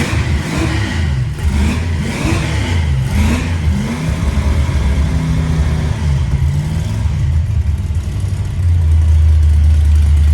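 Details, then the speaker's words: Fox-body Mustang V8: loud, raspy rumble with a coarse chuffing beat that sharpens on each blip. The headers are leaking badly, likely at the slip joints, which need pulling and cleaning. "I just ain't believing that the headers went to leaking that bad"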